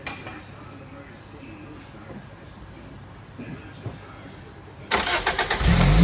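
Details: Toyota MR2 Spyder test start right after a new belt was installed: quiet, then the engine cranks, catches quickly and settles into a steady, even idle with no squeal or chirp. Normal idle; owner suspects a small intake vacuum leak.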